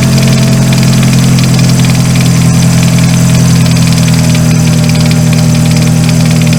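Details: 2000 Ford Focus, after replacing the seized AC pulley bearing that had prevented starting: even, steady idle with a smooth low drone and no dragging or squeal from the belt side. Running normally.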